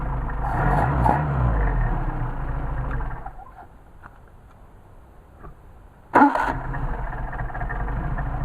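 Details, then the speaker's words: Mercedes 190SL, freshly rebuilt twin Solex carburetors with linkage adjusted: runs, shuts down, then fires straight up on restart and settles into an even idle; normal restart. "that's a nice restart"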